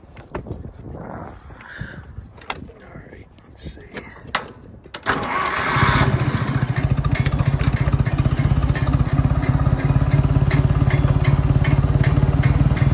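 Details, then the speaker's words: 1963 John Deere 1010 tractor, properly maintained, at 1,000 rpm: steady low drone with light gear whine through first, second, third and reverse; normal transmission gear noise. "1963 properly maintained noise level out of the transmission in first second and third and reverse"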